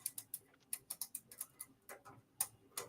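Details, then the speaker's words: Deliberately bad electrical connection under live vacuum load, contacts pitted, wire warming in hand: irregular bright dry crackling snaps, a few per second, no hum beneath; arcing at a loose connection. "The wire's getting warm in my hands. So, just okay, so we know, so we got some arcing."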